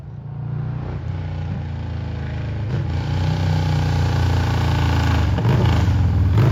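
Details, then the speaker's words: 2003 Victory Vegas, 92ci/1507cc V-twin, slip-on mufflers removed, warmed up: loud deep burble building as revs climb, lumpy pulses about four per second, very little muffling; open exhaust, definitely loud. "It's definitely loud."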